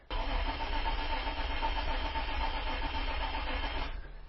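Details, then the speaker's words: Isuzu Rodeo, cranking no-start after a new fuel pump was fitted: steady starter churn with an even beat for about four seconds, no catch into idle and no tach signal while cranking; the fault was faulty wiring to the fuel pump. "yeah I cannot get this thing to start let me try to pump on the pedal a little bit"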